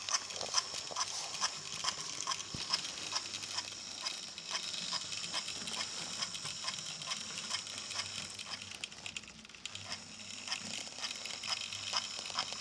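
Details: Repaired DC analog A3 6039 "Sandwich" locomotive from Talisman train pack, after fixing pickups and tender wire: light buzzing primitive motor with even clicks about twice a second, running steadily without stalls.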